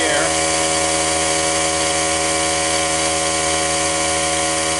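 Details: Cheap portable tire-fill air compressor with its melted power switch bypassed, building tank pressure: a steady motor-and-pump buzz with a bright rattle but no knocking or squeal. Nothing weird; it sounds like it always sounded.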